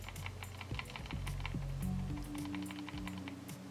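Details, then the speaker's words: Roccat Kone Military mouse shaken side to side: quick uneven plastic clicking of the sensor rattling loose inside the shell. "it's pretty bad in there in fact even the rocket com P laser has the issue but it's not as bad in this one just a very slight rattle"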